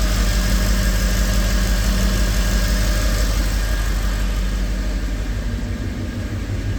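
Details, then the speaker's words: Mercedes E63 AMG V8 that broke down with bank 1 misfires, restarted after codes were cleared and timing and cam lobes checked, in a New Hampshire winter: ran rough for a second, then a steady, even V8 burble with no stumble or miss; normal idle. "Ran a little rough for a second there. Other than that, sounds normal, but that's nothing new either."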